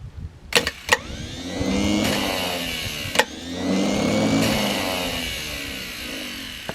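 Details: Burnt Ford 4000 tractor, sat over 20 years, has no original electrical system and a makeshift starter lead. The starter cranks in long labored bursts but the engine never catches; faulty injection pump.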